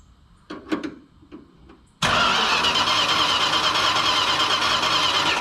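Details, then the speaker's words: 1968 Chrysler Newport with a points ignition: a few light clicks, then steady cranking for several seconds with no start despite plenty of fuel; coil sparks but the plug wire doesn't, so the owner suspects burnt or worn points. "on this car should be starting there's plenty of fuel I can even smell it"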